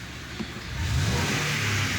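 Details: Ford F-150 pickup after repair of a cylinder misfire (spark plugs replaced, injectors cleaned, coils cleaned), blamed on neglected maintenance: engine revs up cleanly and holds a smooth, steady note with no stumbling or shake; normal engine revving.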